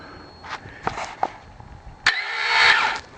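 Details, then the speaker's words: Wood-gas generator with a new engine and a newly fitted starter motor, its port ground out to fit. A few clunks, then a high free-spinning whir rising about a second with no cranking beat. The starter spins but does not engage the flywheel. "for some reason though it's not turning the engine don't know why oh yeah flywheel"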